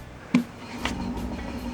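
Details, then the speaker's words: 2005 Suzuki Swift rear wheel spun by hand with the car jacked up: after a first knock comes a loud, steady, low rumbling drone. This is a worn rear wheel bearing, which has also worn the rear tyre. "you can hear the loud wheel bearing noise when the wheel is spun"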